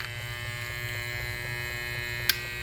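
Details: Vintage three-speed Hamilton Beach electric hand mixer that stopped turning mid-mixing: a thin, steady electric buzz with faint ticking and no rising whir. The motor is energised but the beaters don't spin, and the cause is still unknown.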